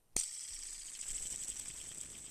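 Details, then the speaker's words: Seized sealed bearing, rust inside and grease gone, soaked and blown perfectly dry with an air compressor, then spun: a sharp start, then a smooth, even high-pitched whir fading steadily with no grit. It spins clean and free and would grease up well. "but it doesn't sound bad and I don't feel any grit so this one would grease up actually really good"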